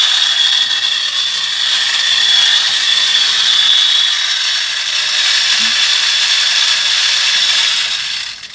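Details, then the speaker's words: USB rechargeable desktop vacuum; high, steady fan whine with a fast, uneven gritty rattle as the impeller smashes whole grains of rice into shattered pieces and rice dust. "This is actually smashing the rice inside of this thing. It's just creating a bunch of rice dust."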